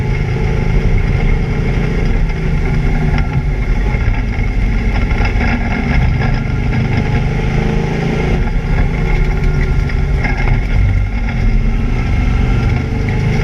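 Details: ABR Camaro on misfire laps: loud engine pulling hard on track with an uneven, stumbling beat under load, an engine misfire of unknown cause.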